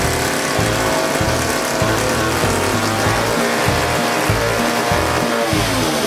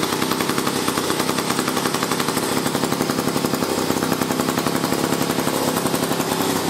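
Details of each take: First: 1956 Eclipse Wasp two-stroke chainsaw after carburetor cleaning and reassembly, first run: holds a fast, buzzing unloaded speed instead of a slow burble; idle set too high, high-speed needle then opened as it seemed to run lean/out of fuel. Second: A 1956 Eclipse Wasp two-stroke chainsaw running after carburetor work, including reinstalling the high-speed fuel needle screw and nozzle. Rapid, crisp popping holds a steady speed without stumbling or dying. The saw is running cleanly.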